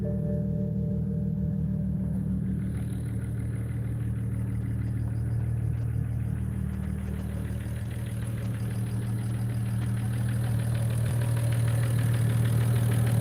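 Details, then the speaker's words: BMW E92 335i after a valve cover gasket replacement with new spark plugs and coil packs: starts and settles into a smooth, even idle with a steady low hum, no shaking, misfires or leaks. "sounds good it's not uh it's not uh uh shaking or anything like that we don't got any misfires we don't got any leaks so far everything looks good"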